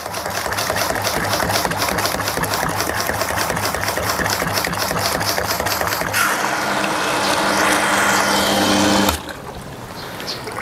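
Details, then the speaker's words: Shimizu PC-260 BIT jet pump with its pressure tank removed and the tap turned down to a small flow: rapid chattering on-off pulses, about four a second, then a steady hum and stop; short cycling from running without the tank. "Jadi kalau kita nggak pakai tangki, pompanya menjadi cetak-cetok ya kawan-kawan."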